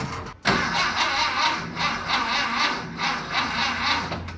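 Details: Freshly installed VW Bus engine, spark confirmed, being primed with brake cleaner sprayed into the carb to test timing: slow, labored cranking with a steady push about every second, never catching or popping. Cranks but won't start.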